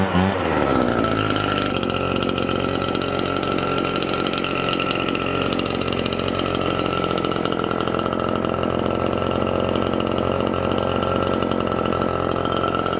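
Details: Husqvarna two-stroke leaf blower, long unused, starting after retrofitting a substitute fuel tank for a backordered part: fires up, settles into steady even high buzz with constant fan whoosh, no stumbles; runs properly.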